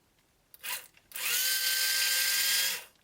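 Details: Black & Decker BD405R cordless drill/driver from about 1985, unused for decades, after disassembly, regreasing and reconnecting the motor terminals: short blip, then a smooth, steady whine held at even pitch for about 1.5 s. Running normally after repair.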